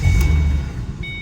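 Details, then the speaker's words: Ford Mustang 4.0 after replacing idler and tensioner pulleys for a loud belt squeal: engine runs with a low steady hum, no squeal or chirp from the belt drive; repair successful. "And as you can see, it's quiet as can be. So I'm gonna mark that down as a success."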